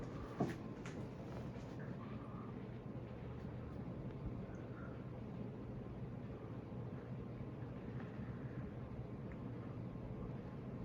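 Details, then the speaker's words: Casablanca Delta II 50-inch ceiling fan with K4S control, made November 26, 1993, running on high speed. Soft, steady whoosh with a faint low hum, no ticking or wobble: normal running on high speed. "all right now to move it up to high all right let's keep it here so you can hear the sound that makes when it goes up to high speed"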